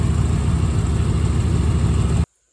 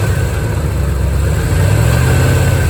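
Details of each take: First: 1987 Corvette C4 after water pump replacement for overheating and a noisy failed pump: deep, smooth, even rumble with a rev, no knocks, ticks or squeals, staying cool; normal idle. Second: 1987 C4 Corvette that had been overheating, idling with a rough grinding growl that swells every few seconds: a failed water pump, heard before replacement.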